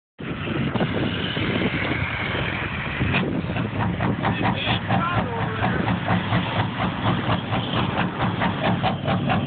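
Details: Duramax diesel with a rough idle: the idle clatter pulses unevenly, about two beats a second, with lumpy, uneven firing; cause unclear.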